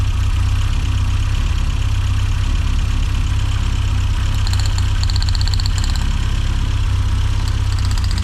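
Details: 1990s Mini Cooper S Sport 5 petrol engine, hot, idling after new plugs fitted, with a low, slightly uneven beat and occasional stumbles but no clear misfire pattern. Little RPM drop on plug checks; owner suspects fueling (Siamese ports), unconfirmed.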